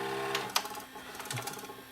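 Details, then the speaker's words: Panasonic PV-4361 VHS hi-fi VCR with horizontally shaking picture, in reverse search: sharp irregular clicks over a faint capstan motor hum, like a missing phase; capstan drive IC suspected, bad solder joints. "it just makes that just makes that clicking sound I have a feeling it's to do with the drive I see over here it's like we're missing a phase"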